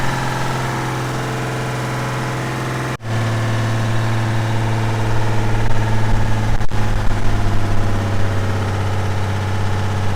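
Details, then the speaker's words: Old Ford 6-cylinder engine, deliberately filled with sand and water, restarts after seeming dead: rough, lumpy idle with an uneven knock, stumbling almost to a stall then labouring on; internal damage from sand and water ingestion. "No way. This thing fired back up again. Man. It's got a nice knock to it now."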